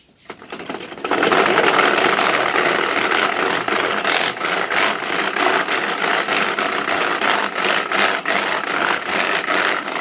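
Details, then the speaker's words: Homemade curved gravity roller treadmill with hard rollers, walked on: loud, continuous clattering rattle pulsing with each footstep; loud roller rattle, rubberized belt planned to reduce noise. "well as you could hear there that makes quite a racket so one of the changes we're going to try and make is put on a rubberized belt to reduce the noise"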